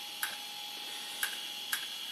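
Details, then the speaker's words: IBM ThinkPad 380D laptop running Windows 98: thin high spinning whine with three sharp irregular ticks in two seconds; the noisy hard disk sounds like it is failing and not long for this world. "oh my goodness, I really don't like the sound of that disk drive at all. It looks like it's, sounds like it's not long for this world, if you want my opinion."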